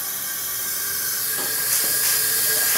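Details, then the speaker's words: 2009 Ariens riding mower, 20 hp Briggs & Stratton single-cylinder Intek engine under a leak-down test: steady high-pitched air hiss leaking out near the intake, its tone changing as a finger covers the leak; blown head gasket. "this does indeed have a blown head gasket"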